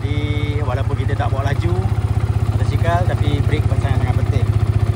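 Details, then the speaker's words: Yamaha FZ150i, about 122,000 km, exhaust repainted, wireless mic near the engine: steady even low thump about four beats a second with no metallic tapping or knocking, clean exhaust; healthy normal idle. "Ha ni bunyi enjin kita. Saya gunakan wireless Go ni tengah punya enjin dia tak ada bunyi knocking apa-apa dari segi metal e."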